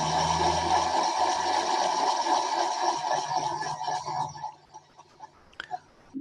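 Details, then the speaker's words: 2007 Subaru Impreza right rear wheel bearing recorded while the wheel is run up on a hoist: steady grinding growl with a rough, gritty edge that fades as the wheel spins down, a badly worn wheel bearing. "That was a recording of the noise from the rear wheel bearing in the vehicle while we were running it up on the hoist. That's a right rear wheel bearing."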